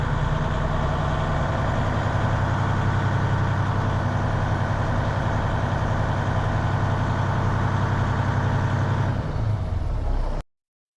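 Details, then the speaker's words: 2015 Western Star diesel truck at idle during PTO wet kit install: deep, slightly lumpy irregular pulse around 220 beats a minute, uneven idle; cause not stated. "Hear that uneven idle?"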